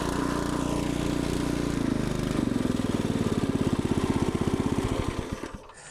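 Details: Warm small engine on a log splitter, freshly revived after sitting unused for an unknown time, chugs evenly at a steady beat, then slows in spaced pulses and stops cleanly; running sounds healthy.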